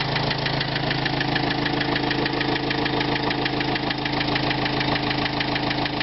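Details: 2005 Renault Trafic 1.9 dCi diesel at idle: sharp, regular knock at about 200 per minute over the idle; engine knock, cause not yet determined.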